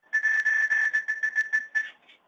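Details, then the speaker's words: RFID handheld in TracerPlus Geiger-counter locate mode, trigger held while walking to find the next missing asset: a high-pitched tone pulses quickly, about eight short beeps in under two seconds, homing in on a tag. "then we can hold down the trigger and walk around some more and it should find the next item and once again we'll use the Geiger counter"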